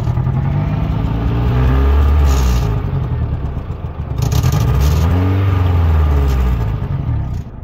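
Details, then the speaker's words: 1991 Honda Civic RT4WD EF wagon driving under load, not overheating; the engine pulls with an uneven, stumbling misfire. Owner suspects something lying on the spark plug wires at the distributor disturbed a wire. "There's a misfire. This is kind of what I was thinking the misfire is from, because this is just laying on top of the freaking wires here."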